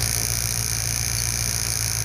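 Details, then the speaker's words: Fox body Mustang, new MSD coil rated 44,000 volts, spark gap tester set at 35 thousandths with engine running: steady even buzz, no breaks or misses, strong blue spark; normal. Coil cut out when raised to 40. "A nice blue spark. I can hear it buzzing."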